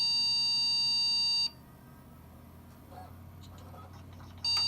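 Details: HP PC (hard drives dated 2010) found in trash, first power-on: one long steady high beep then silence and another; POST beep code, owner suspects memory, reseated Kingston stick.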